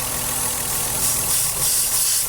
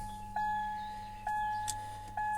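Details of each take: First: Ford Cougar V6 at idle, warm with heater working and no overheating: a steady, airy hiss sits over the even idle hum, unchanged with the engine; small vacuum leak. Driver also notes slight hesitation at very low revs, e.g. 5th gear at 50. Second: 2000 Ford Cougar 2.5 V6 170 hp: a few dash chimes, then the engine catches at once and runs up strong with no long cranking; a clean, healthy start.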